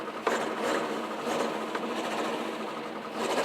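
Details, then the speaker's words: Morris Minor under restoration, new electric fuel pump just fitted after the old one was broken: quick, light ticking about every half second over the engine starting, pump filling and running normally and faintly audible; works fine. "And you can't even hear the fuel pump. Oh, yes, you can. Okay, so that's pretty good. It works."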